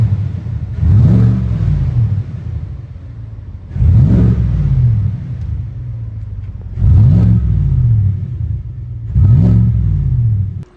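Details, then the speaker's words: 2018 Cadillac Escalade 6.2 V8 after DOD delete with BTR cam, LS7 lifters, shorty headers and Magnaflow muffler with no flapper valve: four clean throttle blips, deep rumble rising and falling smoothly, no tick or knock; healthy revving. "Something just slightly louder than stock, just so you know that there's a 6.2 in this thing. I'll go ahead and give it a couple revs."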